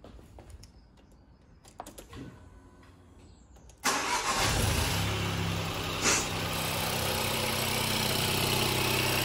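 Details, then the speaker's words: Ford Fiesta Titanium automatic (salvage rebuild) just started after a battery recharge. A light, even tapping at idle, about four per second, is the high-pressure fuel pump. This is considered normal and reportedly quietens as the engine warms. "there we go that tapping that you can hear is that high pressure pump but apparently they all do it"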